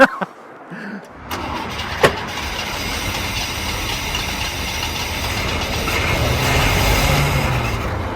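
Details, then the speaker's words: Holden Commodore, carburettor-fed, from a Cooma wrecking yard; cranks for a second, then catches on accelerator-pump fuel and runs unevenly as the throttle is worked. Hard starting. "We'll give it another, no, I'll keep cranking, I was giving it a good, actually, let's check if the accelerator pump's working now. That might indicate that there's fuel at the carby."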